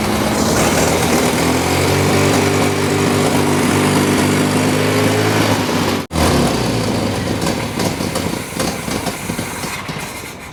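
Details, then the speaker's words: 1983 Toyota 4x4 pickup, 22R 4-cylinder carbureted, revived after 10+ years sitting: runs on its own at fast idle, then stumbles and briefly cuts out before picking up rougher; carburetor flooding again, owners suspect crud holding it open and will strip it. "yeah it's flooding over well we thought we had it fixed for a minute but uh it started flooding over again and it won't quit flooding over"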